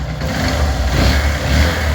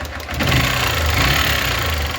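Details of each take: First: 150cc single-cylinder motorcycle after repair for valve noise: the worn camshaft and complete head tower and one valve were replaced. It now runs smoothly with an even thump and no top-end ticking. Normal running. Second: 2008 150cc single motorcycle idling: quick steady metallic valve tapping from the top of the engine, returning after two valve adjustments; mechanic suspects a worn valve, head to be removed; finding is a seized rocker assembly.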